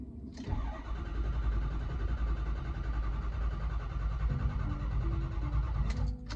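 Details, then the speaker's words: Ford Powerstroke diesel, after high-pressure oil system work and repeated cranking on a jump charger: fires and settles into a steady, even idle, barely a puff of smoke; normal start and idle. "All right, after another bout of cranking, it's alive. It's running. It's not smoking."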